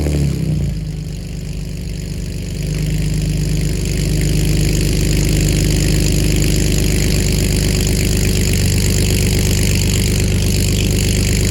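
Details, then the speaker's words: BMW E46 just after header installation, first start: fast even idle with a rapid puffing tick over a loud exhaust note; exhaust leak at the header joint. "okay so we have a leak here we have a look at the place that i showed you two sensors but listen to this"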